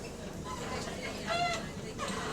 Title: Obnoxious Creaking From Suspension, Uncommon Middle Door Alarm | GAL LT392 On Bus Route 15